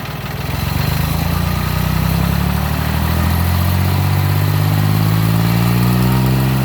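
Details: Yanmar YM1610 diesel tractor (1979-1981, 942 hours), after about 10 years sitting, running: steady, even low diesel chug that settles smoothly with no knocks or misses; running healthy.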